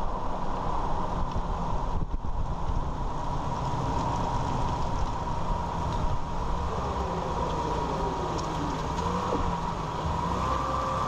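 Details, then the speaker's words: 2001 Ford Ranger 4x4 after front driveshaft CV joint replacement, driving at cruising speed: steady road and tyre roar with an even drone, and the former slow-speed rattle is gone; driveline healthy. "all right so as you're heard the noise is gone the rattling"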